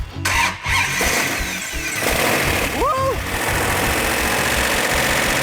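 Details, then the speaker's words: 1971 Hemi Cuda rebuilt V8, sat 20 years after a fire, first start: short crank then catches cleanly into strong steady run without hesitation or pinging; normal start, only minor timing and carburetor adjustment needed. "So there was a multitude of things that could go wrong, but it was a pleasant, welcome surprise to have it fire right up, a little bit of timing on it, a little bit of carburetor adjustment, and running the way it should."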